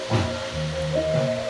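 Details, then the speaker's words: Active subwoofer amplifier, toroid 41 V AC supply, driving a 12-inch sub, after driver transistors replaced and bias/DC offset checked to cure hoarse sound: music now plays clean with full, firm bass, no crackle or rasp; normal output. "suaranya sudah bisa normal kembali ya"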